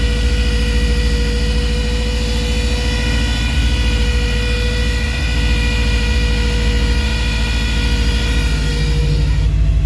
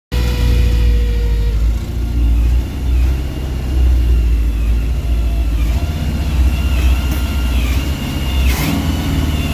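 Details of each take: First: 1985 GMC Sierra C2500 at low idle with a high steady whistle from a vacuum leak that cuts out partway as the leak is fixed, leaving an even idle. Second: 1985 gmc sierra C2500 running but has a vacuum leak fixed in the middle of the short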